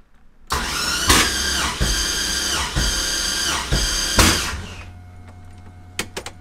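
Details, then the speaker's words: Mazda FD RX-7 with swapped, freshly rebuilt 2002 LS6 V8; starter turns slowly and unevenly with heavy beats about a second apart, cranking too slow. Starter, battery and grounds replaced or checked first. "put it back in the car and i got to a point where it cracks but if you remember from the last episode the car was cranking too slow it was going"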